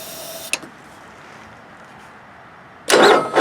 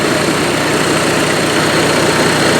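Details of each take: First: Onan Marquis 5500 RV generator (1998 Bounder motorhome, 20+ years old, 60 hours), air cleaner removed, on starting fluid before carburetor clean and fuel filter change; cranks, catches with short ragged roar, dies twice; likely not getting fuel, owner suspects dirty carburetor. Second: Onan Marquis 5500 RV generator (1998 Bounder motorhome, 20+ years old, 60 hours) after carburetor rebuild, running on gas from a can as it won't draw from the tank, choke opening; steady even hum, constant speed, no knocks or surging; normal running.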